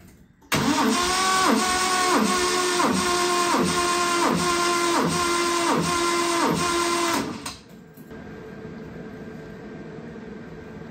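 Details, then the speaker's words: 1970 Triumph TR6 compression test, cylinder three being cranked. The starter grinds slowly and labours at about 3.5 even strokes a second. Compression is very high (all cylinders 170–180 psi against 140–150 considered okay), loading the starter; the owner thinks the head was probably shaved. "Oh my god, that's a pretty high compression. I mean, you guys in the UK probably are not surprised, but for us here, this is a very high compression."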